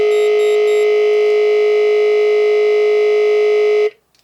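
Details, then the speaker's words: Moose Z1100e alarm panel demo briefcase, auxiliary output wired to a separate siren-driver tone programmed for a momentary mechanical buzzer blast: a harsh, raspy buzz holding one steady pitch for about four seconds, then cutting off sharply. "so the auxiliary output's wired to a different tone on the siren driver and it's programmed to do a momentary blast of some sort of mechanical buzzer sound so it sounds like this"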